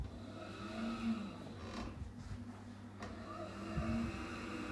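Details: Gas boiler after replacing spark electrode kit with seal and spark generator: steady low roar and soft even hum, no bangs or stutter, as burner lights and runs cleanly; normal firing.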